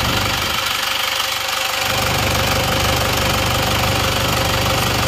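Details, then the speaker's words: Isuzu Panther diesel after engine repair for blow-by, first start: even idle with regular, light clatter that holds steady without lumps or misses; oil filler check shows no blow-by; normal diesel idle. "Alhamdulillah mesinnya halus ternyata ini suaranya seperti ini suara mesin seperti ini rata ya"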